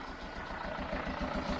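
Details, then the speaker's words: Chevrolet Tracker at about 84°C during testing: a heavy, lumpy idle puffing about four times a second that will not settle. The engine can't be revved because of a blown head gasket, leaking between cylinders. "mas eu também não consigo acelerar a camioneta porque eu tô com uma junta rompida"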